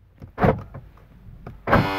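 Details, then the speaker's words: Chrysler Town and Country minivan, pressing unlock: harsh half-second electric buzz from the rear right sliding door lock actuator, which is failing internally; only on unlock, not lock. "it happens when I push the unlock button okay that is the rear right side sliding door door lock actuator"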